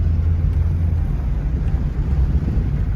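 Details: Engine after Sea Foam cleaner treatment: steady, even low rumble with no misses, knocks or surges; engine running smoothly.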